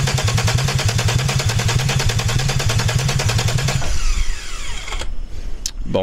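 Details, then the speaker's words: Peugeot 206 with a VR6 24-valve engine from a Sharan, first start attempt on temporary wiring after connecting the fuel pump: steady, fast starter cranking at about two and a half turns per second with no firing, then it stops. "ça fait pas de bruit [Musique] spécial pour l'instant ça ne démarre pas"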